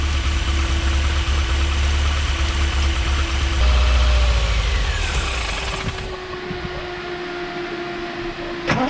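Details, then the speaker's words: Triumph TR7 with twin HS6 SU carbs, at operating temperature with fans on, recorded from inside the car: held steady near 3,000 rpm on choke, dies immediately when choke is turned off; lean running suspected, cause unconfirmed. "Started the engine off with a bit of choke. Increased the revs, kept them round about 3,000 revs. Turn the choke off, she just dies. Just dies immediately."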